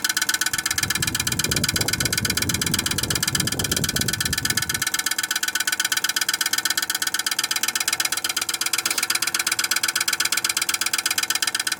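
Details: Viessmann Vitocal 151-A heat pump outdoor unit, ice accumulating despite heating tape: rapid, very even ticking rattle about two beats a second over the unit's hum, consistent with ice catching the fan.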